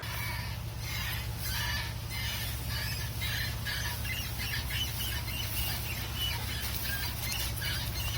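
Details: Mitsubishi Montero Sport driving in reverse: steady road rumble under a rhythmic high chirp about once a second, frequency tied to wheel rotation, from the rear wheel area, heard on both sides; forward at any speed it's fine.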